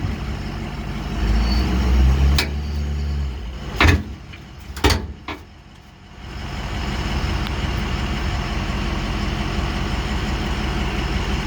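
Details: 2006 Ford F350 6.0 diesel with one-year-old Demco Recon fifth-wheel hitch on gooseball mount: sharp loud pops and clunks while inching forward and stopping, also when braking and turning; hitch plate not moving on bed, something seems broken.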